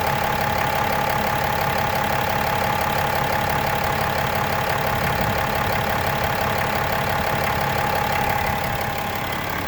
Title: 2018 6.7 cummins random rattle knocking noise at idle